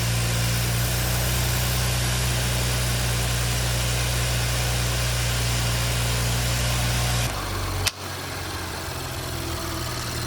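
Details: 2017 Audi B9 S5, EA839 V6, 67,000 miles, at first idle after engine removal, new rocker arms, intake carbon clean and upgraded camshaft adjusters. Smooth, steady hum with no more ticking from bank two; normal idle.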